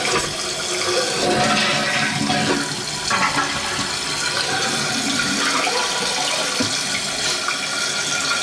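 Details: Toilet flush test after replacing a bad flapper with a Fluidmaster fill valve and flapper kit: strong rushing water draining steadily into a refill hiss, no trickle, tank sealing properly; handle chain slightly loose.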